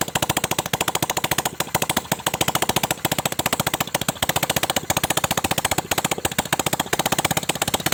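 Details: Honda Supra 125 at first start after fitting a Kawasaki ZX 130cc piston, fresh oil, valve cover off: sharp, loud, fairly even firing beat around three to four pops a second; running normally.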